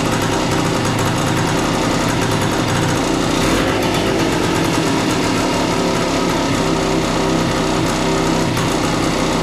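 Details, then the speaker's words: A 1976 Suzuki TS185 two-stroke dirt bike, long-stored and just revived with no air cleaner fitted, gives loud, buzzy ringing that holds steady with small pitch shifts as the idle adjustment screw is turned. The idle speed is still being set. "okay so that's your idle that's basically your idle adjustment screw so he whoever had messed with this last time had it way closer"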